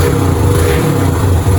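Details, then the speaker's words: Restored Yamaha YBR 125 single, new air filter, plug and battery, just started on its electric starter after 2 years unused; even low thumping idle with a steady beat, no stumbles or rattles, ticking over cleanly. Normal idle. "Maintenant elle tourne impeccable, tous les voyants fonctionnent, tout ce qui est électrique fonctionne, les pleins phares aussi."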